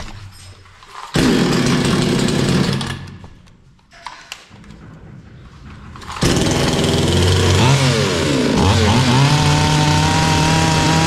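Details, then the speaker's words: Bolat 5820 chainsaw that kept bogging and stalling, after a carburetor adjustment was suggested. The real fix was cleaning its dust-clogged air filter, and it now revs cleanly and runs steadily at high speed. "sadece hafifliği çıkarttık motor normale döndü"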